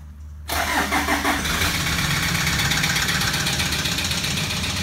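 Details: 2007 Toyota Land Cruiser Prado 120 diesel, 230k, cold start after suspected oil starvation: brief crank, catches, rough rattly cold idle with knock, barely any oil smoke, no white smoke; worn bottom end suspected; engine knock on cold start.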